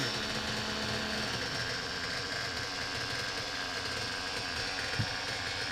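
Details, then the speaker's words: Reds R5 nitro RC engine, run indoors with a 3/8 fuel injection line on the pipe: high buzzy rattle at steady pace, no stumbles; earlier "chipmunk" noise absent, normal idle. "you guys hear that sickening noise from the last video because I sure don't"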